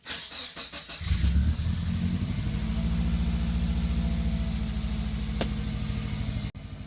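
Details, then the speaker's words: 1998 Subaru GF8 WRX, EJ205 engine, just fitted with new in-tank fuel pump (EFP-056, Denso 195130-1270): after priming, starter cranks briefly, engine catches cleanly and settles into a steady even idle; pump very quiet, no fuel leaks; normal start and idle. "let's turn on the ignition now and prime the system see other pump sounds well I tell you what it sounds like a really quiet pump"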